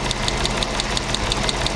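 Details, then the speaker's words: 1997 Mercedes SL500 M119 V8 idling with a light, sharp top-end tick, about six a second. Blocked or failed plastic hydraulic tappet oil feed tubes, one blown apart, were starving the cam area of oil; fixed by replacing the tube, cleaning the others and renewing valve cover seals. "This '97 SL 500 has a bit of a top-end [music] tick."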